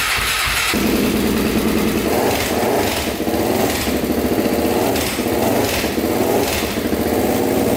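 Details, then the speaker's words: Honda 400EX with 416cc big bore, Stage 2 Hotcams cam and 158 main jet, first start after reassembly: single cylinder catches at once with quick throttle blips and a light cam/valve tick, considered normal; timing correct. "you can hear the ticking on the cam but that's normal everyone says so started right up no issues there so all right started right up timing must be spot on"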